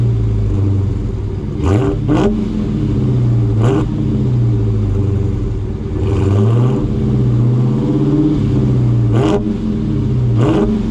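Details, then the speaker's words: Dodge Hellcat V8 on stock active exhaust with valves fully open: deep, clean, loud rumble swelling and falling with repeated throttle blips; healthy exhaust note. "this is the stock um uh system on here so these exhaust valves are open and anybody that has a charger pretty much knows what they sound like on a cold St so now these valves are all the way open"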